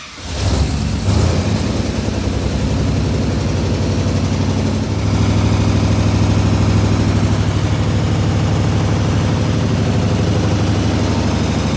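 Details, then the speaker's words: 1967 IH Loadstar 1600 shop truck V8 running again during overhaul, out of gear, new clutch and pressure plate still needing adjustment; brief rev blip then steady even idle, no misses or knocks, needs fine tuning. "Okay, everyone. Uh, birth is running again. Yeah. Uh, she needs some fine adjustments, but Yep."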